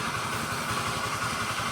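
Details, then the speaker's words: Honda Vario 110 LED scooter idling: not rough but a steady droning hum over the engine pulse; unchanged with CVT removed, so cause is inside the engine, worn crankshaft bearings. "Ini motornya ini suaranya nggak kasar tapi dengung seperti ini. Nah, suaranya dengung seperti itu."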